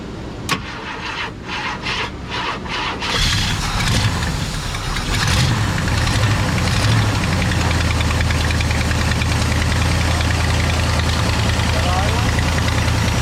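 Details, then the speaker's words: 1968 Ford Galaxie 500 XL 390 V8, sat 30 years, first start on a rebuilt Autolite 4300 carb. It cranks several times, catches and holds a steady fast idle; high idle because the throttle is held slightly open and the stripped, frozen idle adjuster needs backing off. "Okay so we we need we need the throttle to come this way just a hair to bring the idle down"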